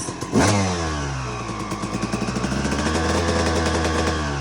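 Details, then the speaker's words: Restored 2002 RM250 two-stroke with an Iridium spark plug on its second heat cycle, revved at half throttle through low-medium and some high RPM. Crisp, clean, even pickup with no misfire; idle now much better: normal running. "you know, lower medium RPMs, couple high [Music] ones. You can hear the idle's much better now."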